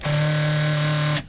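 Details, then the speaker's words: 2015 Chrysler Town and Country replacement driver's power seat just installed: front-and-back track motor gives a steady rough buzzing drone with low hum for about a second; noisy seat motor, owner may swap the motor from the old seat. "The front and back motor's noisy though. I don't know if you can hear that or not."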